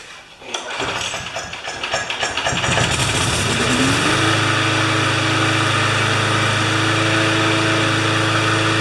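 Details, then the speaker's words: Lawn mower, clean gas, not started since last year. Catches after a few seconds of cranking, starting better than last fall, and settles into a steady, even single-cylinder idle with no misses. Normal start and idle. "Well, you know, it starts better than it did last fall."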